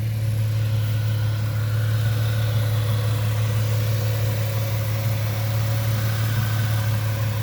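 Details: 1998 Ford Mustang, first start after about ten years sitting, warming toward normal running temperature: smooth, steady low hum at constant speed with no knocks or hunting; engine running evenly.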